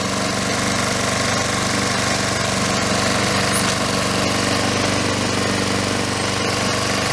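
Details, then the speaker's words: Honda Harmony II HRT216 mower after carburetor and fuel system cleaning with fresh gas. Steady, even putter with no misses or surging, idle seems high, self-propel not working; normal running. "Well, I'll look at that a little more, but the Honda is back alive. Sounds pretty good."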